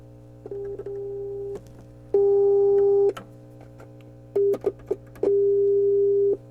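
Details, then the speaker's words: Hammond M3 organ amplifier (push-pull 6V6s, 12AU7/12AX7) tested with a homemade capacitor probe: clean, steady test tones come through each input at full level over a faint low hum; the amplifier inputs work normally. "so all the inputs are working properly a real low input there so it's all good"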